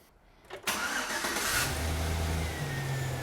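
Short crank, clean catch, then a steady even idle with no misses or knocks; starts and runs healthy.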